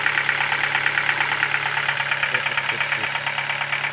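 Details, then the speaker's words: Ford Focus 2, 1.6 engine, 290,000 km, cold idle: steady, fairly regular knock about three times a second over the engine; source not found yet, engine to be disassembled. "Такой стук. Двигатель на холодную работает."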